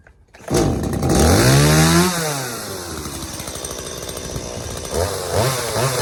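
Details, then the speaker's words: Stihl MS180C chainsaw that bogged and died on throttle, after carb rebuild with new metering diaphragm, gasket and pump diaphragm: snarls cleanly from idle, revs rise and fall smoothly, no bogging; normal running after repair. "all right guys there you have it steo ms180c is ready to roll again all it needed was a simple carb rebuild"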